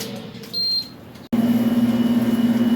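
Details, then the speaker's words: Electromax 9000 BTU air conditioner after power-fault repair and rewiring: short beep, pause, then steady low hum with even pulse, display showing 26 degrees, outdoor compressor faintly audible; normal start-up. "So guys, you can see now the unit is running. After I fixed up all the wires, it's running, it's displaying some 26 degrees. If you listen carefully, you can hear the compressor running outside."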